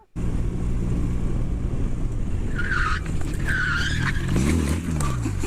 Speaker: alright so you hear this squeal then you hear it release you hear the squeal then he falls so what yeah it's the rear brake so he applied the rear brake too hard it starts to squeal